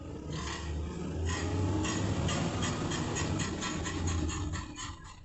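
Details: 2004 Porsche Cayenne Turbo running: light, uneven ticking about four times a second over a low rumble; clicking noise, owner suspects front differential, not confirmed.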